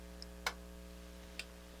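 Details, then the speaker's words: NAD C350 amplifier, voltmeter on the output transistor/emitter resistor junction: faint hum, then the relay clicks at power-on. The offset sits at zero, drifts negative, swings positive, and the amp goes into protect; a heating transistor or bad resistor is suspected. "it goes to zero and sits there and then it drifts negative and then changes course on just positive and goes into protect"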